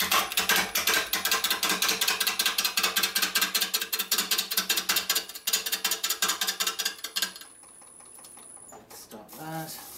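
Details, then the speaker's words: Bone-dry maple burl bowl blank, out of balance, on a lathe: rapid regular tapping two to three a second as the gouge meets the uneven corner each turn, with slight tool kick from the cut-and-miss. "couldn't listen couldn't listen that's White's it's once a kick slightly and say back knees the speed up just a little"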